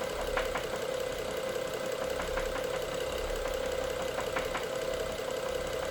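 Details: BMW F07 with N55 engine: sharp, uneven knocks, roughly two a second, break through a steady idle hum; a knock from inside the engine, cause not yet pinned down.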